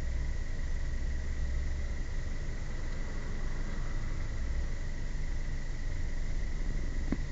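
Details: 1999 Honda Prelude driving: a steady high whine over the engine's low rumble, which began after a timing belt change and appears after 5–10 minutes of driving, with slight vibration; fixed by replacing all engine mounts with OEM parts.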